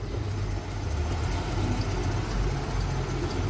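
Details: Mercedes-Benz SUV, newly bought by the owner, with codes P0300, P2090 and P0353 and a flashing check engine light: a deep, uneven idle with a lumpy, skipping beat, a misfire.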